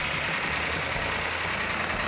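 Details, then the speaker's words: New 1970 Cuda 440-6 with a Comp Cams Mutha Thumper cam on initial startup with no smoke, choke needing adjustment: fast, even run with light valve-train ticking, normal for a new engine. RPM held up for cam break-in. "got a little bit noisy valve train which is normal on a new engine we going to hold the RPM up so the cam can break in nice"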